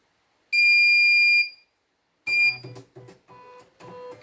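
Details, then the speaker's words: Embroidery machine with blank white screen, buzzer test during repair: one loud, clean, steady high beep about a second long; buzzer works normally, sound fairly loud. "Oke, suaranya cukup lantang ya."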